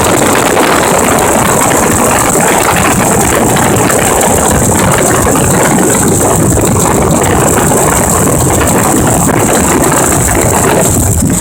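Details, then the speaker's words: 2005 Ford Expedition 5.4L Triton V8 with a failing transmission forward clutch: loud, busy top-end clacking at startup idle, steady with engine speed; valve train suspected, maybe lifters or cam phasers, not confirmed. "the first thing I want to pay attention to when I get this vehicle started is the clacking noise that's coming out of the engine and if you watch my other Ford videos with the four tighten it you might even recognize the clacking noise"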